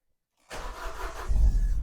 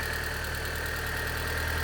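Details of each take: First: Vauxhall Zafira GSI (Z20LET) sat unused for 7 years, first start attempt: catches after cranking, then stumbles and shakes unevenly, never settling, and dies; something sounds like it's pushing somewhere. Rough running, cause unconfirmed; fresh petrol to be fetched. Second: Vauxhall Zafira GSI Z20LET, first run after 7 years parked, after adjustments: smooth, even cold-start idle with a steady hum and no misses or knocks, expected to drop below 1,000 rpm once warm.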